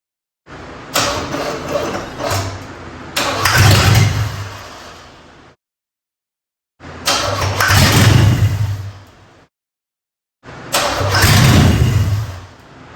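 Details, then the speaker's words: 1980s third-gen Camaro Z28, 305 H.O. V8 with carburetor, after fuel system overhaul, on starter fluid and gravity-feed jar: three tries each crank, catch and rev a couple seconds then die; fuel starvation. "All right. So, the first attempt was a failure."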